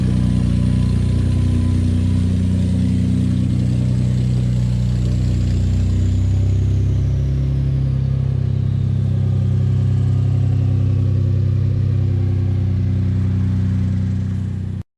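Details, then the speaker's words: Ford F-150 3.5L EcoBoost V6 cold start: loud rough idle with coarse rattle over deep drone; owner suspects timing chain; cold start engine rattle. "all right guys so as you can see the truck is sounding awful upon cold start and that was actually a weak one guys typically that thing is slapping so hard"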